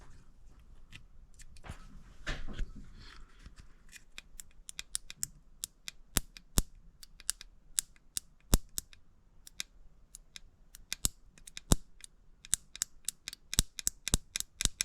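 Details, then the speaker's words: 1931 Ford Model A roadster, sitting since 1962, with the melted original coil swapped for one borrowed from another car and the key on: sharp, crisp snapping ticks at irregular intervals at the points. The spark is strong now, where the old coil gave a very weak one. "I'm sure you can hear that, so that's a pretty decent spark at the points. So that should work all right now."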